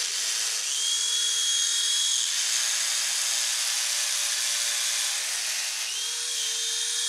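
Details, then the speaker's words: Silverlit PicooZ Sky Challenger toy helicopter, LiPo battery probably weak: high, steady, buzzy electric whine that never builds to lift; the rotor drive vibrates and sounds wrong, so it won't get off the ground; cause not confirmed. "yeah it's not going to get off the ground don't know if you can hear it vibrating not it doesn't sound [Music] right"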